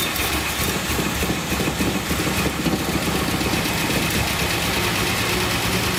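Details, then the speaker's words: 1976 Datsun 280Z, fuel injected, first start attempt with fuel pressure present: catches and runs with a steady, slightly ragged idle and a strong exhaust rush; soon dies as mouse foam blows out of the exhaust and the throttle seems not to return. "Got fuel pressure. There it goes, it's running."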